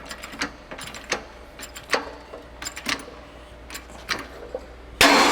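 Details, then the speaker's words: Toyota/Lexus FWD press-on wheel bearing being pressed out of the knuckle on a shop press, pressing toward the car side, around 5–6 tons: light creaks and ticks as pressure builds, then a loud pop as the bearing breaks loose and pushes out. "You heard that pop. Out goes the bearing."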